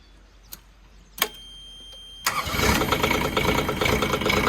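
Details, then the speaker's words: DX10 digger whose starter motor had stuck on and melted, now starting: clicks, brief cranking, then catches into an uneven idle. It needs more glow-plug heat but starts normally. "start model works oh I need a bit more heat yet needs a bit more heat but it's starting and stuffing"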